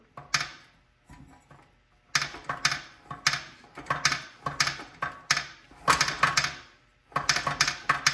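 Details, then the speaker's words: Mini bike engine from Tractor Supply with a large hole in the case, turned over by hand and backwards: uneven metallic clanks and rattles, won't turn; loose broken parts inside and a disconnected connecting rod. "But it literally does not turn. You hear that banging sound? So it does not turn. Not good."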